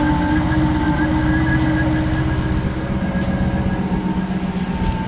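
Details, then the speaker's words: Jeep Grand Cherokee Trackhawk running while Berryman fuel system cleaner is drawn slowly through a vacuum line: steady idle with rough, uneven low beat and faint ticking, expected during treatment; normal. "We're gonna start it up. And sometimes on some vehicles, it sounds like you broke the car or you messed up the engine."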